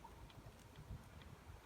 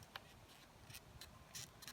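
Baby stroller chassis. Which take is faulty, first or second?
second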